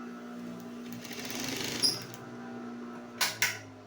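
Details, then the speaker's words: Single-needle high-speed industrial sewing machine after repair: motor had only hummed without turning, fault was the capacitor; now a quiet steady motor hum with light fast stitching chatter, no grinding, sewing normally. "Ayun umandar na. Maganda na yung andar niya. So guys, okay na. Okay na siya."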